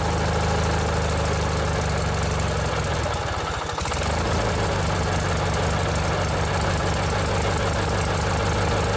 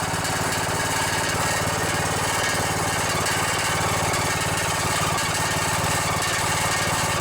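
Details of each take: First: Old 16 horsepower Briggs and Stratton opposed twin on a vintage riding mower with modified choke cable: steady low twin-cylinder burble with an even beat, one brief dip midway then back to smooth strong idle; healthy engine. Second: Riding mower with 17.5 hp OHV single-cylinder engine (known for blown head gaskets, failing cams) at fast idle: steady thump with tinny metallic buzz on each firing pulse, loose muffler rattling; otherwise runs well.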